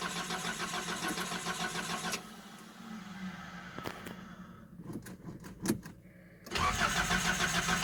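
Steady cranking churn for a couple of seconds, some stumbling, then it catches and settles into an idle; a hard cold start. Cause suspected, not confirmed.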